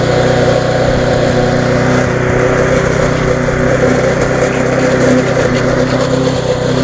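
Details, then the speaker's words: Viking (Stihl) mulching mower, Briggs engine with refurbished classic carb, after repair: steady, even drone that holds speed while cutting grass, no misses or surging, running well, slightly fast. "it's running quite well to be on the free button a little bit fast"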